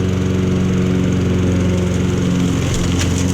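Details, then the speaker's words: Honda lawn mower found in the trash, first start on choke, blades engaged: strong, even engine drone with steady firing beat, no misses or knocks; nothing wrong, everything works, blade control slightly out of adjustment. "Okay, so there's absolutely nothing wrong with that mower. Everything works."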